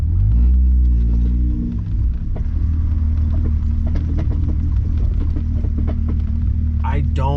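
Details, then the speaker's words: Car on temporary BBS RX 211 wheels, driven over bumpy cobblestone driveway: irregular metallic clunks through low road rumble as suspension moves; ball joints, control arms, suspension bolts checked tight; source unknown, seems low in the middle; no rubbing or shaking felt. "like when the suspension goes up and down, that's when you hear it like clanking. You can hear that metal sound."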